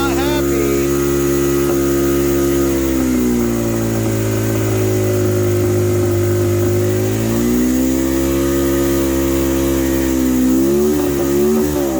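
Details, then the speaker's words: 22-year-old quad that sat 3 years in a barn with mouse nests and old fuel; tank, petcock, fuel lines and carb cleaned, plug looks okay. Revs drift down then climb with throttle held steady, then it stalls; surging idle, cause unclear. "oh i killed it i was holding it steady and it kept going up"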